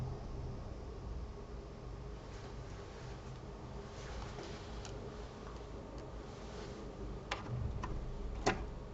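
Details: EVGA G2 850 power supply at idle with eco mode off. Faint, irregular light ticks sound over a soft, steady fan hum. The owner was told this indicates a defective ball bearing fan; this unit is a replacement, and the original unit had the same issue.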